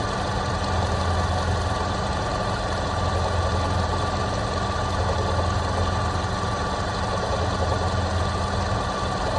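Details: Toyota Prado 120 2.7 2TR-FE at warm idle, 30,000 km after overhaul; after oil pump, lifter, VVT-i valve and tensioner replacement it knocks constantly once warm, oil pressure ~1.2, bottom end fine; faint uneven knock under low rumble, origin unknown.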